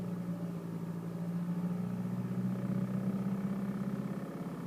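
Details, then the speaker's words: BMW 320d E92 2010 manual diesel held around 2000 rpm, in gear or neutral: buzzing rattle/vibration from the passenger-side footwell riding on the engine drone. "BMW e92 320 diesel 2010 model slight rattling noise coming from the passenger side foot area went at 2,000 revs just going to start the engine"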